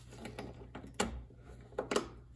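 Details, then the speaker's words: Craftsman DLS3500 mower with a 20 hp Briggs single, old-smelling fuel: after lubing the sticky carburetor fuel solenoid, the key is switched and a few sharp clicks show the solenoid now pulls in freely. "it now works as it should could it be this simple could it be just as simple as a stuck fuel solenoid"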